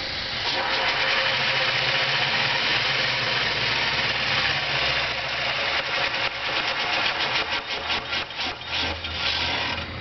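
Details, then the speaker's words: Dodge Daytona electric-vehicle conversion in neutral, with clutch failing to disengage while shifting: grinding, crunchy rasps over a steady gritty hiss (partly the DC-DC converters), indicating a fault in the clutch and transmission; the drivetrain is to be removed for inspection. "and there's like grinding crunchy noises so there's definitely something wrong uh in the clutch and transmission and stuff"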